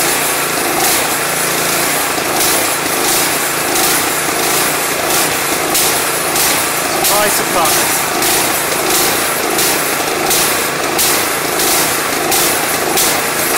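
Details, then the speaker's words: Craftsman 179cc 22" snowblower with Powermore engine, after replacing bad old gas with fresh gas and Seafoam, run off choke: speed swells and drops roughly every second. Engine surging, likely fuel-related. "One of the the chances are if we take it off choking, it's going to stay running? Or surge? Let's say very likely."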